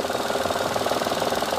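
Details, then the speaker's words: 2012 Mitsubishi Mirage Exceed, 1200cc three-cylinder, 77 PS, CVT automatic: even, steady idle with a smooth regular pulse and no ticking or knocking; bearings, cam and valves sound normal. "ini suaranya standar normal tidak ada suara-suara aneh"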